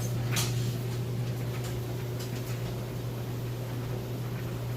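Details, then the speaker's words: Maytag Bravos electric dryer on heavy-duty, highest heat, with a heavy load: low steady motor hum, soft even drum rotation, no thumping or bumping; stable, normal tumbling. "as you can hear it sounds great you always want to check for any weird noises or anything like that and it sounds excellent nice and stable there's no thumping or bumping or anything like that"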